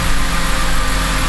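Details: BMW E90 N52/N51 engine after replacing an alternator that was not charging: smooth, steady low idle with no whine, squeal or belt chirp, battery light off, charging at 14.4 V; normal idle.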